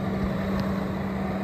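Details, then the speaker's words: 2008 Saturn Vue, radiator fans not turning on, fixed by grounding the fan signal wire, key on: steady whooshing drone over idle, fans run then stop at key off. Cooling fans running. "hear the fans on now i'm going to turn it off and the fans turn off"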